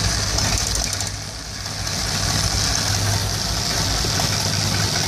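A warm V8 idles with an uneven, loping beat of around four stumbles a second, a rough idle with no clear cause yet.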